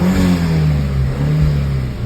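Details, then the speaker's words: Audi TT Mk1 1.8L turbo APX (222 bhp) after pipe replacement, oil and filter change, revved after restart with the error light cleared: smooth, steady drone, no knocks or rattles; healthy turbo four. Dump valve is still busted and due for replacement. Normal revving. "That is the sound now of a car that has actually been fixed."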